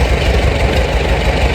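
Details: Farmall A tractor revived after 10+ years sitting, new radiator, fan, belts and hoses; head gasket due for replacement; slow, even low thump of cylinders at idle, no misses or knocking; normal idle.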